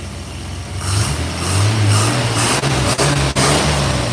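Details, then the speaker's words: 1986 Chevrolet Silverado V8 with new aluminium radiator, rebuilt injectors, new thermostat and sensor, fresh oil: it revs with an uneven, lumpy note and brief stumbles; owner suspects a dead spark plug and stale fuel, unconfirmed; misfire. "I think I think it's got a couple I think it's got a plug dead. Um, I'm not 100% sure. It needs some new plugs."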